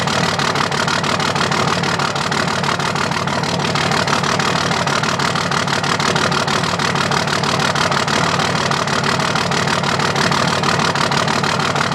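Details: 2005 Dodge Cummins diesel at idle with loud clatter and an uneven beat, a hitch each cycle; dead cylinder misfire from a bad injector not firing.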